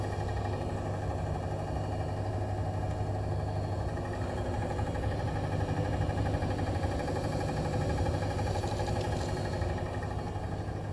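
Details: New Bosch Serie 4 EcoSilence washer, technician-installed with transit screws removed, during spin: steady loud low droning rumble with faint beat from drum/spindle, brushless motor quiet; heard from 400 to 1400 rpm loaded or empty, cause unknown.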